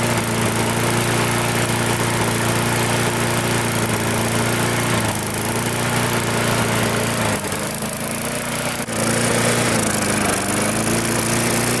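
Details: Mid-2000s MTD Yard Machines push mower with air-vane governor, after pull-start repair, runs steady buzzing that sags and picks back up; fuel leaking at carburetor, owner assumes it loosened from the fuel tank.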